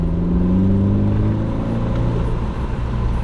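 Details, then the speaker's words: Mercedes C250 W204 turbo with a Turbosmart Kompact blow-off valve, heard from outside the car. Revs produce a deep, even rumble that rises and falls smoothly, with a low, less obnoxious valve sound; it sounds healthy. "Yeah, because it sounds great. It sounds very good. It's like a low."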